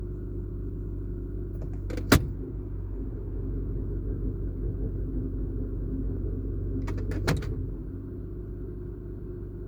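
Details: Cold start, since a drive belt replacement: deep, loose rumble under a steady idle with two sharp clunks, heard only in Drive or Reverse, gone in Neutral and louder with 100–200 extra rpm; cause unclear.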